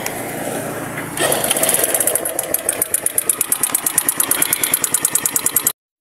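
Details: Keeway CR152 single-cylinder motorcycle engine started and idling with a loud, sharp, regular metallic ticking; mechanic suspected rocker arm, cam or tensioner; opened engine showed a broken rocker arm with the camshaft scraped.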